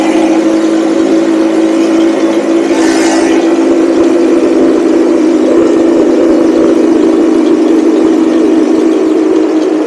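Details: Cheap buggy's small engine, hot, riding after fitting a 120 jet; steady even note at constant mid pitch, no misses; normal running, with occasional hesitation.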